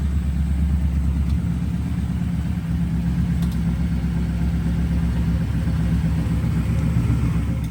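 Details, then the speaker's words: Ford Foxbody V8 started for the first time since 2006: steady deep rumble held at a raised, even idle without dropping back; runs better when revved as fuel pressure rises, idle earlier hunting up and down, now sitting high. "it's idling kind of high but nah it was going up and down before"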